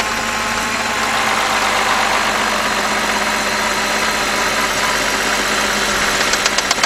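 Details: 2011 BMW 328i 3.0 with 15 stored codes and an oil filter housing gasket leak: fast, fairly regular ticking about four per second over a busy idle, heard from inside the engine where the timing chain is, an internal engine ticking noise.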